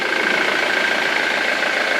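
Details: Ford Mondeo 2.0 TDCi diesel after replacing five dead hydraulic lifters (four exhaust, one intake): a short, even idle with a steady hiss and no ticking. The noise is gone after the repair.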